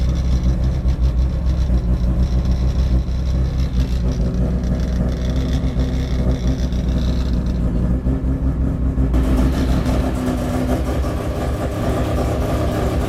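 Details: Freshly built rotary Miata after first start: even smooth burble with clean rev rises and steady settle, no knocks or misses; running good, under 150 degrees, about 78 psi oil pressure, good vacuum.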